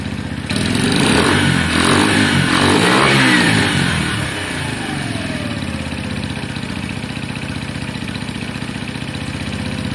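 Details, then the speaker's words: Motorcycle, likely the Lexmoto Valiant, warming up after it died on low battery and cut out when revved. It catches, revs cleanly, then drops to an even, steady idle with no misses or knocks. Normal idle and revving. "That seems absolutely fine to me. I'm going to leave it on for 2 or 3 more minutes."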